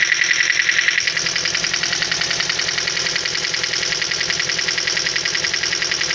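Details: Toyota engine on cold idle: quick, even ticking about two and a half per second, the hydraulic lifters (lash adjusters) knocking when cold.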